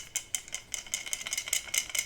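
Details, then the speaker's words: Pisces Helium hotspot antenna, believed damaged in transport loose in a car trunk, being shaken: bright, dry rattles about five times a second from a loose broken internal part; antenna seems deaf and needs replacing. "i believe that i destroyed my antenna via transportation i just threw it in my trunk and i haven't used any kind of safety for this antenna"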